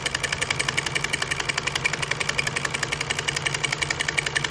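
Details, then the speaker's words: Vintage Singer buttonholer (Simanco 160506, low straight shank) on a jeans waistband after lowering presser foot pressure: steady, even ticking about three beats a second with no hesitations, now getting past the spot where it skipped before. "There we go. See, got past that that spot where it was skipping before."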